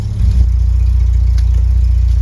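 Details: VW Mk2 Golf GTI, long off the road, idling after starting: low, even idle pulse at steady speed with no knocks, misses or rattles; healthy idle.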